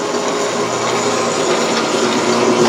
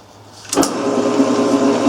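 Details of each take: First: Grizzly G1550 8x18 metal lathe, after oiling dry idler pulley: steady even motor and belt hum with light whir, no squeal or chatter; running smoothly. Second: Grizzly G1550 8x18 metal lathe from estate sale, 1986: motor spins to steady hum with faint rhythmic chirping from belt side, quieter with cover on; dry idler pulley, a couple drops of oil calmed the noise.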